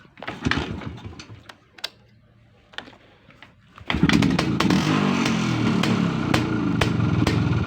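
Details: Izh P5 moped two-stroke, cold start using the choke after a head removal and minor repair; catches after a few kicks and settles into a busy, loud rattling run, source not pinned down.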